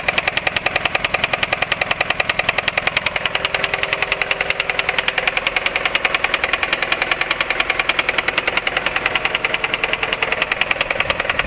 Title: Honda Accord Engine Knocking 2.3 liter